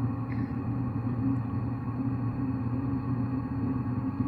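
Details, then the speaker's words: Diesel heater after carb cleaner was forced through the fuel line to clean the atomizer screen (first start gave explosions); on restart it ignited first try, no white smoke; steady even hum, no pops, surges or misfires; normal running. "I hear it running. No white smoke."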